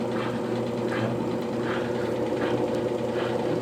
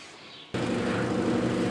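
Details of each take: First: Consul CWL16 16 kg washing machine hums with a harsh, loud scraping that rises each time the agitator strokes, caused by a worn agitator hub under the agitator. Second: Consul 16 kg top-load washer after replacing the worn hub under the agitator, which had caused loud noise when agitating: after brief silence, a steady even motor hum with no knocking or grinding; normal agitation.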